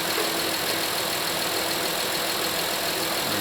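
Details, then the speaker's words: Honda Pilot 3.5L V6 at startup after a 100k service with new timing belt, water pump and tensioner and a power steering fluid top-up, warming up: steady, even idle with smooth hiss, no ticking or knocking. Everything sounds good; normal idle. "I'm going to turn it over back and forth. Everything sounds good."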